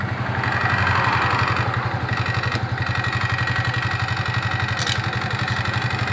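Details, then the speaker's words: Suzuki Nex scooter with the CVT cover open and then closed: an even, quick idle pulse with no grinding, the same in both states. The CVT sound is normal. "oke mas bro terbuka dan tertutup suaranya sama dan itu adalah suara wajar"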